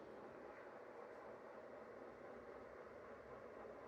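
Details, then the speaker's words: 12-year-old ceiling fan running on high speed: smooth constant rush of air over a soft even hum, no ticking, rattling or grinding; runs flawlessly, though it now wobbles since the shade was removed. "Runs flawlessly. It does have a wobble now since we took off the last shade."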